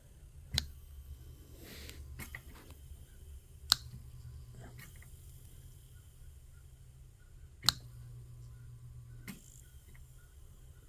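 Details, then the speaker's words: Vintage Leslie speaker upper slow motor being unplugged and plugged in: low hum broken by sharp, irregular slaps from a worn internal spring needing replacement before rebuild. "all right you shouldn't slap like that so what that means is that the spring and here needs to be replaced"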